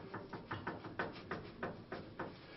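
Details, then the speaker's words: Honda Accord VIII, tie rod rocked up and down: dull hollow knocks about three a second, the steering rack shaft loose in its worn right-side bushing, which needs replacing. "болтается вал рейки внутри втулки с правой стороны в только требует замены"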